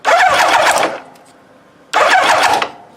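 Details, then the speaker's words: 1986 Kawasaki GPZ900 no-start: starter motor fed directly by jumper wire bypassing control circuit, two strong clean bursts of whirring; starter motor healthy, fault suspected in solenoid or control circuit. "so what does that tell me that clothes means that the starter motor is in good condition"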